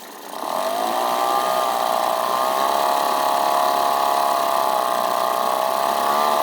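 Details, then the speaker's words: Outboard with newly installed carburetor, no mixture adjustment made, idling with choke fully on: steady even high-pitched buzz with no misses or surging; runs cleanly. "but like it it seems to be running really good I'm just gonna try to try it fire it up here again I got like a little Idol that joke all the way on"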